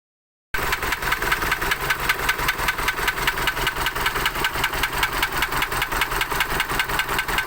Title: isuzu 4jj1 trouble engine knocking